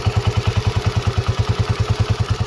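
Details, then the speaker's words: Honda CG125 single-cylinder idling: quick, even tappet ticking about eight per second over the low idle thump; loose valve clearance on the rockers; head rocker and CDI unit to be replaced. "पर एक आवाज आ रही है गौर से सुनना और टपे की आवाज आ रही है कटक टक"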